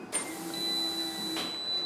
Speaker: Prime the fuel system so like don't turn it on all the way just listen for the fuel pump to turn on keep going one more